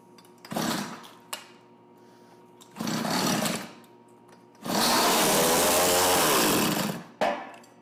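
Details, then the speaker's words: Tecumseh TC300 two-stroke on Eskimo ice auger, after new piston rings, compression just under 90: fires in short rough bursts and dies when throttle drops with choke fully off; stalls at idle, possibly carb tuning. "seems like we have fuel i'm gonna bump the idle up a bit see if that get it to idle so [Music] [Music] yeah it doesn't like with the choke all the way off it could be a carb tuning issue though too right"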